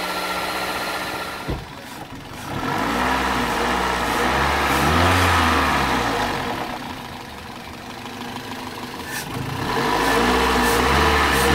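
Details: Toyota 1ZZ-FE engine during solvent decoking, idling with light throttle blips just after solvent was poured into the cylinders through the plug holes. Idle hunts in slow surges, sagging almost to a stall and recovering; the solvent is choking it.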